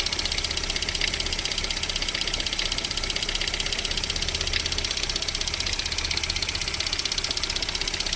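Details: VAZ 21127 engine at steady cold idle with a sharp, regular metallic ticking knock of about four per second during warm-up; it disappears once the engine reaches about 40 degrees, cause unknown.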